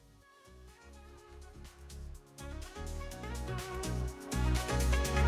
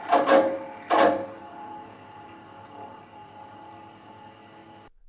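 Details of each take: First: Yamaha KX-330 cassette deck after repair, having had metal-grinding noise and speed changes blamed on the capstan motor; motor cleaned and bushings lubricated; clean steady playback, no grinding. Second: Yamaha KX-330 cassette deck playing with sudden harsh metal-on-metal grating bursts over a quiet hum and occasional tape speed changes; the capstan motor runs hotter than usual with dry, loose bushings.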